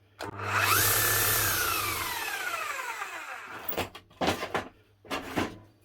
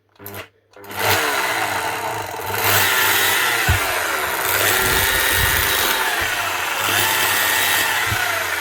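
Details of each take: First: 18-year-old new-old-stock Makita HR5001C hammer, non-runner repaired with a new set of brushes: motor spins up to a smooth, steady whine and coasts down evenly without rattle or sparking crackle; runs like new. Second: Nearly 20-year-old new-old-stock Makita HR5001C rotary hammer, first test run after weeks drying in the workshop: motor spins up rough with a raspy, uneven crackle over the whine; it sounds like brush sparking.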